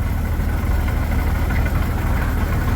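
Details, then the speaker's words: 1941 Dodge WC-6 after transmission rebuild with new seals and new input bearing: even low idle rumble with no whine, rattle or grinding from the gearbox; previously noisy when pushing the clutch, now as quiet as can be. "I don't hear much anything coming out of the transmission before it was actually pushing the clutch you get it quiet now as quiet as can be I am very happy"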